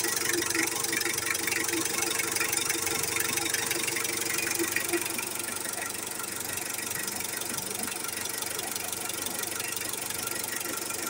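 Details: 2017 Mitsubishi Adventure diesel after a DIY timing belt replacement and valve clearance adjustment by firing order: steady idle with an even light clatter and no misses or heavy knocks; engine runs smoother and quieter again.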